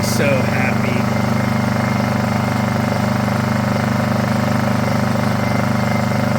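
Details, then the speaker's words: Honda EU2000is inverter generator, bought non-running, started after about six pulls, air box off: steady, even run at constant speed, no misses, surging or hunting; normal running. "one two three four five six wow I was not expecting it to run e throttle this makes me"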